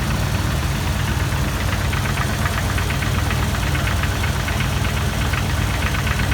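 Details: 2002 Jeep Wrangler TJ idling, recorded from underneath: quick regular metal-on-metal tapping near the flex plate or oil pan, appearing a minute or two after start or after revving; re-tightening the torque-converter bolts didn't fix it; cause unconfirmed.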